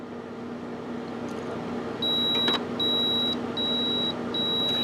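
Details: Epson XP420/XP320-series printer with a continuous ink supply system gives four evenly spaced high electronic beeps over a quiet room hum. It is rejecting an unrecognized cyan cartridge chip.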